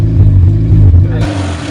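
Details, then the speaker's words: Honda CRX project car after correcting the plug-lead firing order and fixing bad ground wires, no catalytic converter; loud, deep, even exhaust note revving cleanly with no misfire and better throttle response — normal running. "We're getting so much better response out of our engine even. I don't really know how to describe that to you just yet. Things are just working the way they should."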